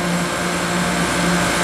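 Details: 2018 Koolant Koolers 10-ton chiller, model SVI-10000-M, run-off test approaching set point: steady, even compressor hum with constant tone and airy rush, no knocks or surging; running normally.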